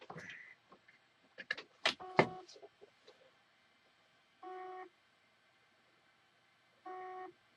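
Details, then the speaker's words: Dead hard drive, powered after its PCB board was swapped for one from a replacement drive: short even beeps about every 2.5 seconds with no spin-up whir, the drive not starting. Owner suspects an internal fault or an incompatible PCB. "and the drive still making that same beeping noise so what I think there's something inside this drive gosh it's either BCB um not compartible"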